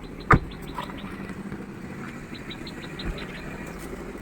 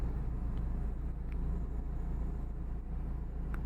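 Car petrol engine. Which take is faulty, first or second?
first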